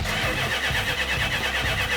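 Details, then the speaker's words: 1972 Dodge Charger Rallye during restoration: even, unbroken starter churning with no catch or cough; the engine spins freely but gets no fuel because the fuel line was not connected. "you know what i forgot the fuel line again try cranking it"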